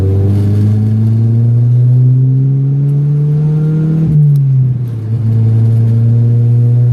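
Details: Deep Vectra engine note climbs smoothly through the revs, eases off and pulls again with no stumble or miss during hard acceleration on a night drive. The earlier heavy misfiring has been fixed, and it no longer misfires, even uphill; healthy acceleration.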